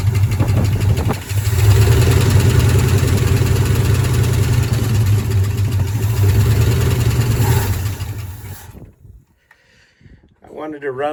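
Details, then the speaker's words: 1972 Ford F-100 Ranger XLT, sat in storage over 10 years, first start: deep rumbling idle with uneven stumbling beat about three times a second before shutting off; one cylinder missing, owner suspects a stuck lifter. "sounds healthy it's missing sounds like maybe one of the lifters is stuck or something"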